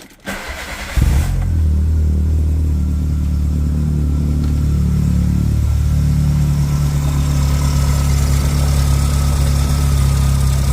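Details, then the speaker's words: Two-door car after a no-start repair, fuel pressure gauge fitted at the regulator and reading 0 before start: short crank, then it catches cleanly into a steady, even low idle with no misses or knocks; it starts normally. "So let's start up. Obviously the fact that she's starting itself tells you that it works."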